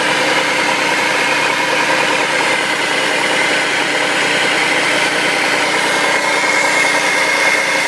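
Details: 2004 Audi allroad 2.7T, loud steady rushing roar with hissy edge, no clear knock, during morning cold start for 30–45 seconds, then gone; no noise when warm; check engine light came on steady once, then cleared; cause unknown.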